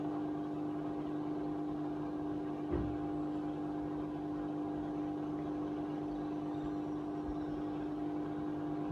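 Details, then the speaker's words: Hotpoint WMA50 washing machine on test wash after new suppressor fitted, small load: constant even mid-pitched hum with no gurgle; drain pump running dry with no water to pump. "it's just the pump running but it's not pumping anything else because water isn't squeezing itself over those levels by magic"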